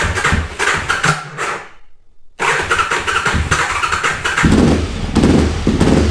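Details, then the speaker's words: Aprilia RSV Tuono 1000 after over-rev from missed shift (2nd instead of 4th at limiter): cranks, catches, then runs with uneven metallic clacking about once per second, owner says in the clutch. Internal damage suspected, not confirmed. "Là, ça claque, là. Et ça claque dans l'embrayage."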